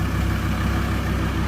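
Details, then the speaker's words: VW T4 diesel upgraded with 150 injectors, 260 nozzles, 3in downpipe and hybrid turbo, just reassembled and started: steady, even diesel clatter at idle with a smooth low rumble and no misses or knocks; healthy normal idle. "well I forgot to pick the camera up but as you can probably hear she was started Dead all back together again"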